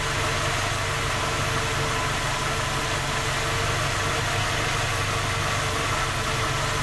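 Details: Skoda Octavia A5 facelift 1.6 MPI, cold engine at idle: faint, even rapid tapping under the hum, constant; engine repaired three times, fault not found, still knocks.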